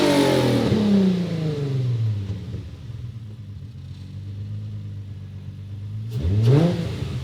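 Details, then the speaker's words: Crashed Nissan 350Z convertible bought at auction, loose clutch pedal; engine sweeps up, falls back to steady idle, then a quick blip, smooth with no knock or misfire: sounds healthy, though it later kept stalling (alternator or battery suspected). "Me gusta cómo suena. Vea, no suena tan mal."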